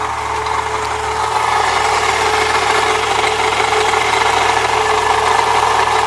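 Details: 1998 Saturn SL2 at idle with the A/C compressor bypassed by a shorter belt: a steady rough scraping grind from the belt drive persists, ruling out the compressor pulley; the water pump is to be replaced next.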